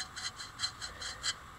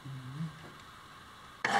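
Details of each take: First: Salvaged bandsaw wheel turned by hand. A dry rasping scrape pulses about five times a second with rotation; the wheel bearings have no grease inside, at least one of them. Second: Homemade bandsaw built from a scrapped portable lumber-mill saw, thick-walled bearing, running on a small battery: spins up to a steady, even whir with light blade hiss, no knocks or rattles; runs smoothly.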